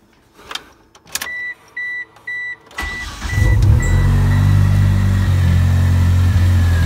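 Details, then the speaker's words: Mitsubishi 4G63 after crank walk repair (failed thrust bearing; replacement crank, new bearings and oil pump), re-run after fixing a loose bolt rubbing a pulley: chimes, quick crank and catch, steady cold idle with no knock; seems okay. "yeah I think we're good it seems okay"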